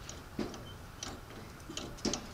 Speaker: I don't know if you can hear that little tapping noise that is the crankshaft is got a helico cut gear on it for the cam shaft and there's a steel gear on the crankshaft